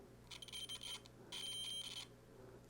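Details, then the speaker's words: 1970s Electra Strat-style guitar with Tele-style solid bridge, continuity tester on the corroded bridge ground before reassembly: two high beeps that flutter and drop out rather than a solid tone; intermittent ground, bridge cleaned with steel wool. "we have conductivity in our bridge in the back especially looks a little corroded has some corrosion in it so this is a direct connection test here"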